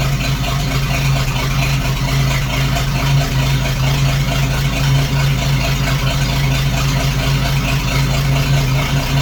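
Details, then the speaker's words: 1941 GMC one-ton pickup, 230ci straight six, first run in 15–20 years: steady low idle with a faint quick ticking over it, not sounding like a missing cylinder. A front valve kicking hard is suspected to be out of adjustment. "and i've also got a valve up front there that's kicking pretty hard so i think it may just be out of adjustment"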